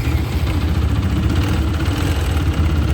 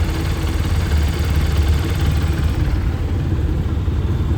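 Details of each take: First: TVS Apache 160 4V BS6 motorcycle at 45,679 on the odometer, customer complaint of timing chain noise, before replacement: steady idle with fast, light rattling chatter over the engine beat; worn timing chain noise. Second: TVS Apache 160 4V BS6 motorcycle at 45,679 after timing chain replacement: steady even low idle with no ticking or rattle, noise now silent; normal idle.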